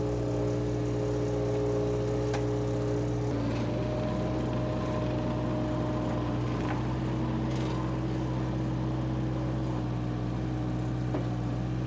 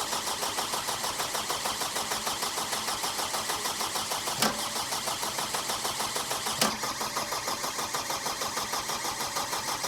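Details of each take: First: Power Trac 1850 diesel tractor/mower, just revived after all fluids were changed, running under load with the mower turning: a steady, even diesel drone with no misses, knocks or hunting. The engine is healthy. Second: Power Trac 1850 diesel mower tractor: steady starter cranking about three turns a second without firing to purge air from the fuel system, bubbles still in the line; cranking to bleed air.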